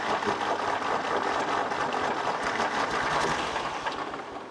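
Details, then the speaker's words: 1964 Lamborghini R2 diesel tractor with a no-start, after loosening and retightening injector lines to bleed fuel: rapid rough cranking chatter near three beats a second, turns over but won't fire; progress since it wasn't turning over before, may need bleeding again. "so this is progress it wasn't even kicking over before so we're at least getting it to here"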